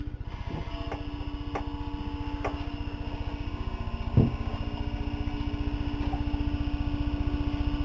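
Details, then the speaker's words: 1940s GE Deluxe refrigerator with its original R12 compressor and wiring, starting after a defrost: one click, then a low, steady, quiet hum with a soft, even pulse; the compressor starts and runs normally. "can hear the compressor fire up pretty quiet under there so I'm gonna close this door and let her cool off"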